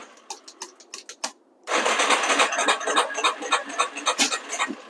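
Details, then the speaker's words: Neglected Yamaha Warrior 350 quad, new fuel hose, in neutral on choke: faint cranking ticks then catches with ragged uneven popping; backfire on cold start, cracked intake boot air leak. "Well, I got a backfire. That's not too bad."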